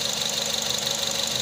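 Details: Nissan Serena that had an intermittent idle misfire without a check engine light, after the cylinder 2 spark plug was replaced (its coil was firing fine): quick, even idle pulse with no skipped beat. Normal idle.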